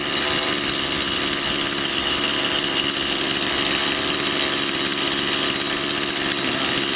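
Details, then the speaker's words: Stihl MS 180/170 chainsaw (non-adjustable carburetor) after fuel was added by adjusting the needle lever to cure power loss: power now good, but a steady high two-stroke buzz never drops to slow idle; idle too high, chain creeps. "мощность хорошая но как мы видим слишком много холостого хода спят моего киснут и так важно что небольшой"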